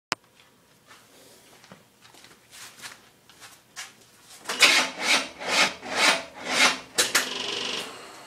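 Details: 1979 Jeep CJ5 with a 350 Chevy small block, hot at about 240 degrees with one fan. Slow, labored cranking at about two strained pulses a second without catching: bad starter.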